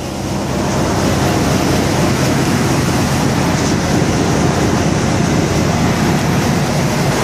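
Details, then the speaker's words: 1995 Chevy K1500 with 350 V8, garage-kept, cold start at 30 below zero with -50 windchill: deep, steady cold idle rumble with no knocks, misses or surging; runs smoothly. "Looks like you can depend on your Chevy 350 at 30 below zero, even though it was kept in the garage, but it's still cold outside."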